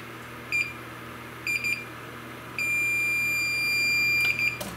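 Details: Neotec NT-2701 27-inch arcade monitor chassis with ticking fault: meter in continuity mode beeps briefly then holds a steady tone across C450, reading 0.1 ohm, shorted capacitor.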